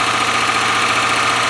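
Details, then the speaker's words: 1997 Land Rover Discovery 1, first start, started by jumping the starter with original ECU, engine oil low: steady idle with fast light ticking from the top end; tappets a little noisy. "well taffets are a little bit bad but hey didn't take much going did it"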